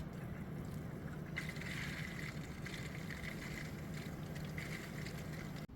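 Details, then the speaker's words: Air bubbles trapped in a PC water-cooling loop (Ryzen 3700X on X570 Aorus board) during first boot and RAM memory training after adding DDR4 sticks: steady low pump hum under a wet churning gurgle as the CPU pump works hard. "Listen to all those air bubbles. My CPU pump hasn't worked this hard in a very long time."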